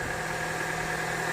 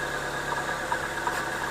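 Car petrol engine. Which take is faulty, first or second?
second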